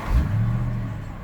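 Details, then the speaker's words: BMW 650i that previously had no-starts, stalling and dash warning lights (steering, check engine, airbag): it now catches and settles into a steady, even low rumble with no stumbling. It starts and runs normally. "all right everything seems to be okay I'm shut it off again started again now I wouldn't do this before it would it will conk out started right back up again"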